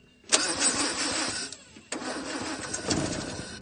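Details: Land Rover Series 2A left sitting several years in a paddock: two bursts of cranking with a brief catch but no sustained running, crank no start, fuel not reaching the carburettor bowl, fuel tank issues suspected.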